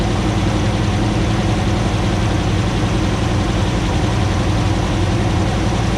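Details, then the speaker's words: 2009 Ram 1500 Hemi V8 first start after engine rebuild, about 80 psi fuel pressure at idle: deep, uneven idle with lumpy stumble and shaking, likely a misfire; owner hopes it clears as the long-unplugged ECU relearns. "looks like we may have a little bit of a stumble she's shaking a little bit but that may just take time for that to kind of work itself out"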